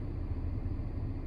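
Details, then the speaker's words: 2010 Mercedes C300 (W204), A/C on and blowing cold: blower heard speeding up through bars two to four, then steady low rumble that never climbs at five, six, seven; stuck at fourth bar, suspected failed blower motor voltage regulator (resistor), motor believed fine. "And then I'll go to five. And it won't change speed. Didn't get any faster. Can't hear the fan go any faster."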